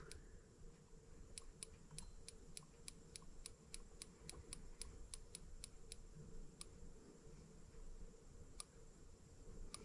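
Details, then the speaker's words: Microcosm R18 Benz model engine, replica of 1886 Motorwagen engine, new, ignition check before first start; crisp evenly spaced sparks about four a second, firing just before top dead center; normal ignition spark. "It appears that we're firing just before top dead center."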